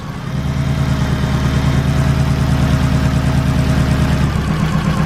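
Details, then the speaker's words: Turbo Honda Civic EK: rough shaking idle that stumbles further when an injector is unplugged; misfire from one clogged fuel injector, unplugging it changes nothing. "you see how this thing sounds like a subaru [Music] that's because one of the injectors is clogged on this thing"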